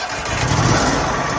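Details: Wood-Mizer LT-40 sawmill at about 8 hours, battery fine at 14 V, hydraulics dead due to a gap in the safety contact: the engine catches right away and settles into a steady, even run; normal start.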